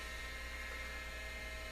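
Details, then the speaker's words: Amstrad PC1512 old hard drive spinning during a DOS boot attempt: quiet, steady high whine over a low hum with a rough edge; noisy hard drive, suspected unhealthy. "switch that off that doesn't sound healthy does it that hard drive really does not sound healthy"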